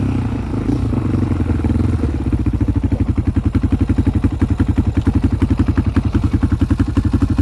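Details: 2001 Yamaha Raptor 660 single-cylinder ATV with Hotcams stage 2, cam alignment not quite perfect, safety switches bypassed: chugs with uneven, stumbling beats below a certain low RPM, then takes off like a rocket; same with old and new carbs.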